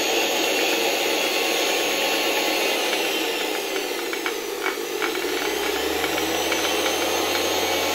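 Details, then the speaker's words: Vintage Electrolux model 7 vacuum cleaner reassembled after work on a motor bearing: at lower speed and voltage a loose clatter mixes into the motor hum; owner suspects a turbine striking, clears at higher speed. "Całkiem fajnie działa tak jak już chyba mówiłem na niższych obrotach przy niższym napięciu słychać tutaj jakieś klekotanie Nie wiem może któraś z tych turbin uderza"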